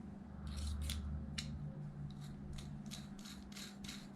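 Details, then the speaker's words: 8-year-old Traxxas Wide-XMaxx motor with bad click, spun by hand: gritty, scratchy rasping bursts about four times a second instead of smooth whir; bottom bearing found worn out. "here's our motor it's got a bad click to it might be the just the front bearing but we're gonna pull it apart and check"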